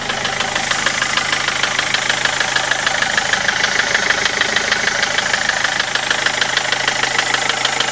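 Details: Land Rover Freelander TD4 diesel engine at idle with a sharp, very regular ticking knock roughly three per second cutting through light engine hum.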